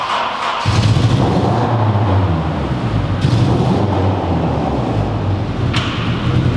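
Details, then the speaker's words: Honda Civic Si engine with repeated overheating and a previously replaced head gasket, idling lumpy with irregular low thuds as one cylinder drops out; misfire attributed to a warped cylinder head. "all right so you guys obviously hear the misfire this car is doing"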